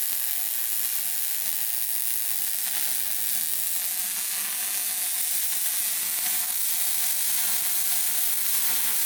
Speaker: Sounded good. Better than the last Sounded good. one. A little goobery at the end, but and fill in that bottom part.